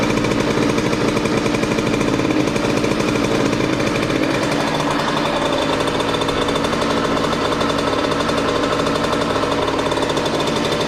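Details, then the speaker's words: Derbi moped (premium engine) just fitted with a simplified wiring harness. Steady, fast, even two-stroke rattle holding a constant pace with no misses or stumbles. Normal running. "Normalement, je démarre la moto, c'est obligé de marcher. J'ai tout bien fait."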